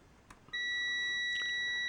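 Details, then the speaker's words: Multimeter with 20 ohms across its probes: a sharp, steady high-pitched beep switches on and holds; it stops at 30 ohms, so its beep threshold is 30 ohms. "Beeping at 20, stops beeping at 30. So, the beep threshold on this meter is 30 ohms."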